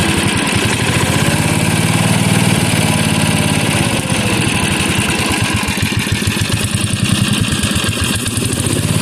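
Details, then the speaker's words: 1977 Bolens G10 single-cylinder at idle with an uneven, hunting thump that never settles. The carburetor still needs tuning and should be rebuilt. It could also use bushings and a throttle shaft. "Carburetor still needs some tuning. It really should just be rebuilt."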